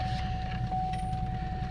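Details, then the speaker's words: 2002 Pontiac Grand Am SE 2.4 with 139,000 miles, started after sitting for a while; rough idle with a steady low knock under the engine note and a faint ringing. Bad rod knock from the #2 rod; the rod bearing is to be replaced. "oh yeah real bad this thing's only got 130 9 000 miles on it but we don't care"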